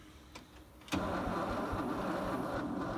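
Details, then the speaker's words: 1968 International C1100 pickup, sat about 36 years, new spark plugs, cranking before checking spark: after a click the starter turns it over with an even chugging beat; compression sounds okay. "it sounds like i have compression and not much better but it's okay"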